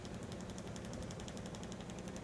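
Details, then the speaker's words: Kreepy Krawly pool cleaner while operating: rapid, steady, loud clack-clack-clack, about a dozen sharp clicks a second over a low pump hum; it still cleans, and the owner wonders whether all models do this. "is clack clack clack sound does anybody else's do this it does the job still like it's just really loud"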